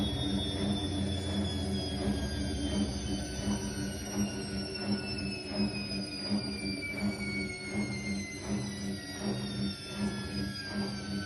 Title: Electrolux time care 500 EW2F2027R1: squeaking noises as it slows down